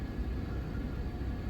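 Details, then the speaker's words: 2013 Mazda CX-5 with P0171 lean code and rough idle/stalling, after repair with MAF sensor reconnected and code cleared: smooth, even low rumble, no dips, misses or surges; normal idle. "And if you clear that code should be fine. Now the RPM is good too."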